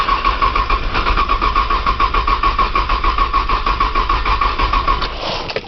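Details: Cold 1995 Nissan Maxima, 210,000 miles, push-button start, in snow with a brand-new battery: steady cranking at about three and a half compressions a second that never catches; the engine spins freely but won't fire. Long crank, no start.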